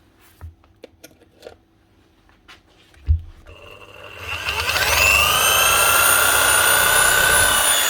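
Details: DeWalt DW331 Type 2 corded 240 V jigsaw after freeing jam and regreasing: a few handling knocks, then motor spins up to a smooth, steady whine at even speed, roller and lever working; normal running.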